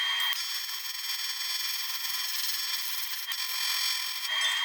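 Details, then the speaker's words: YesWelder CT2050 in AC pulse TIG mode on aluminum, secondary current 90, pulse 0.2 Hz. A steady, high-pitched buzz with a fine crackle and no low rumble; normal pulsed AC TIG arc. "and that's the pulse tig right there very capable aluminum welding machine i love it i love that it does pulse tig and i love that it does regular tape"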